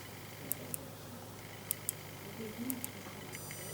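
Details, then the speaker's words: Computer power supply standby circuit emits a thin steady high-pitched squeal under small load (one 6.3 V bulb); whistle disappears when more load is added; most parts already replaced except transformer, optocoupler suspected. "А при маленькой нагрузке дежурки вот такая хрень возникает."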